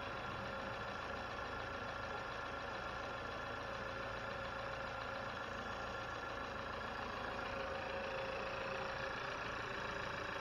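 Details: 2020 Chevy Malibu 1.5 Turbo just after vacuum pump replacement, first start, no fuel leaks or check engine light: steady idle with a light, even injector tick about four per second and no stumbling; normal idle.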